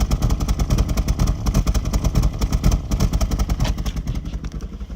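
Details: 2002 Sportcross idling rough: uneven lumpy idle with a throbbing low beat about twice a second that wavers instead of running smooth; cause not confirmed.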